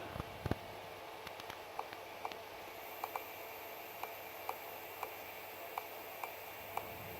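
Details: Celestron CGE Pro mount, right ascension axis slewing west at speed 5: small sharp clicks about twice a second over quiet motor hum; something in the RA drive catching, cause being investigated.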